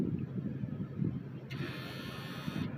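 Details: 1980s Ford F-150 dual fuel pump truck, newly installed in-tank fuel boost pump tested with the key on: a thin, steady high-pitched hum for about a second, no grinding or surging; the pump works properly.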